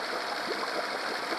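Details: Honda 8 hp four-stroke outboard after carb cleaning and idle adjustment for ethanol fuel problems, run in a bucket: steady, even idle around 1500–1580 rpm with no hunting or misses; good idle speed.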